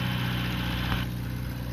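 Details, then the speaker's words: Long-sitting Renault LeCar (Renault 5), revived with choke on after the owner blamed the spark plug wires for poor running. Steady, even low idle with no misses or stumbles, running on all 4 cylinders; normal idle, though the worn belts squeal. "It runs good, runs on all 4 cylinders."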